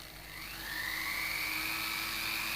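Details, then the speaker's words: Jewellery bench polishing motor with an 18,000 RPM maximum, set to about half, roughly 9,000 revs: high thin whine climbs briefly then holds steady at a mid pitch, even and clean. "Okay, so I'd say that's roughly around about 9,000 revs, and that would be the only way for you to gauge how fast that's going."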